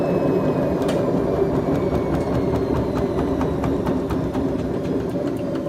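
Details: BEKO washing machine, 7 years 8 months old, drum bearings gone bad: deep steady rumble with fast, fairly even ticking about four per second as the drum spins, typical of worn drum bearings.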